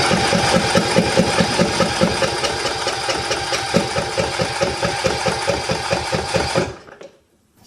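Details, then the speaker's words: Sears Craftsman YT3000, 21 hp Briggs & Stratton Intek single-cylinder, after cam replacement and valve adjustment: slow, labouring cranking at about two strokes a second that never catches; solenoid not heard, not getting gas, carburetor later cleaned as possibly gummed; crank, no start. "not going to start. I'm not hearing this solenoid up here kick on right here. It's not getting gas."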